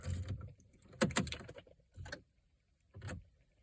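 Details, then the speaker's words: Pontiac G6 no-crank no-start: short clicking bursts at key-on, about one a second, with no cranking; clicking traced not to starter, battery or alternator but to the body control module (BCM). "Now, I did some investigation and I noticed where this clicking noise is coming from. So if you can see that right there, that is your body control module, or if you can just say your BCM."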